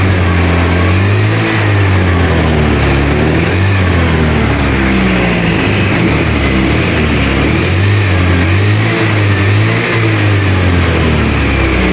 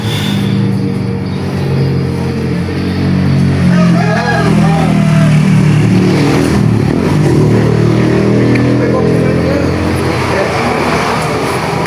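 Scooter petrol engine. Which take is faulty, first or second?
first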